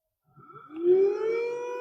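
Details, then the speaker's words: New replacement power steering pump for a Mini Cooper (R50/R52/R53), bench-tested off the car with wired control-logic power and start signal. The motor spins up with a rising whine that levels into a clean steady tone, running as expected. "So now we can say we can definitely know that pump is starting and working as expected."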